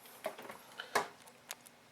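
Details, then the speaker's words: Refrigerator not cooling: shaking the removed compressor start relay gives light irregular ticks and rattles from loose internals, showing the relay is dead. "you shake it you hear our noise is dead"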